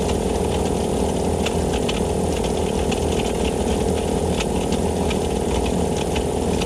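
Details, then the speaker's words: Vevor air compressor pump after a gasket fix restored pumping, pressure rising; steady even pumping drone with light regular ticking, pumping normally, though a bearing may be going bad. "oh yeah see the pressure going up yeah that's it it's fixed"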